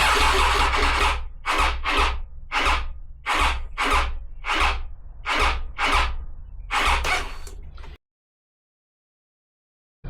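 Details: Triumph Tiger 800, 2012, 30,000 miles, with the battery reinstalled and wiring original: slow, labored cranking at about one and a half strokes a second for eight seconds and it never catches. A starting fault is suspected in the starter motor supply or earth.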